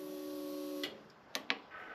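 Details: Buggy during rebuild, ignition switched on: steady hum for under a second cutting off cleanly, then a couple of light clicks; normal fuel pump prime, fuel pressure about 50–55 psi.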